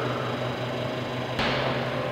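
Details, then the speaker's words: Comfort Zone 220V garage heater just switched on at its breaker: even, steady rushing whoosh with one brief step change as settings change, no knocks or rattles. The fan runs smoothly, blowing warm air. "so I turn it on it's blowing warm air that's for sure"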